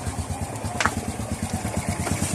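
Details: Honda RS 125 after timing chain tensioner replacement, idling: steady even putter with no top-end ticking; the earlier engine tick is gone.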